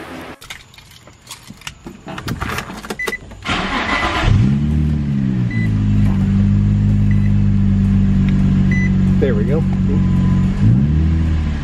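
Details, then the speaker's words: Infiniti G35 / Nissan 350Z V6 after replacing spark plugs and ignition coils for P0300–P0306 misfires: brief crank, then steady, even idle with no stumble or skip; smooth running restored. "back to a nice smooth running engine and then we'll go ahead and clear the codes to turn the check engine light off"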